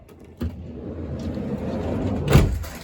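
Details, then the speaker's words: 2005 Honda Odyssey EX-L sliding door after replacing the original center rollers: motor hum, smooth glide, clean latch thump, no creaking; normal sliding door operation. "Not fun, but the results are nice. And it is much better. So here's the after."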